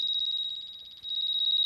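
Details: Cloud Nine hair straightener that was not heating and only beeped at power-on: rapid shrill chirping, about fifteen pulses a second. Fault traced to a burnt-out heating plate on one side; replacing it fixed the straightener.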